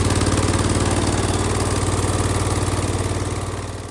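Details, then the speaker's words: Circa-1974 John Deere 140 garden tractor after revival; even regular putt with steady beat, no misses or knocks, fading out toward end; runs smoothly and healthy. "This thing runs pretty good now. It drives good."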